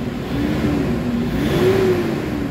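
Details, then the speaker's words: Toyota Hilux diesel with low engine power, revving freely after XADO engine treatment, under 5 minutes in. Clean, firm, even roar with no misses; the engine now pulls hard from about 1,000 rpm where before it only came in at 3,000. "Kita nyo yung galit guys, ibang iba na yung galit, solido. Ayan, kanina yung galit na yun maririnig mo sa 3,000, pero ngayon maririnig mo na into 1,000."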